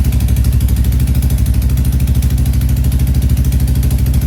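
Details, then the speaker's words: Royal Enfield Classic 350 Reborn freshly fitted with a big bore kit, first startup: single-cylinder idle with a sharp puffing tick on each firing pulse from a small exhaust leak at the header. "So, in the startup, we realized we have a little bit of an exhaust leak at the header."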